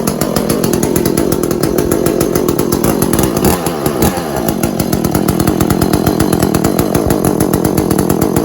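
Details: Echo CS400 chainsaw after oil pump replacement, started to check oil pumping: steady crisp two-stroke buzz with even firing and no misses or stumbles; the saw runs normally.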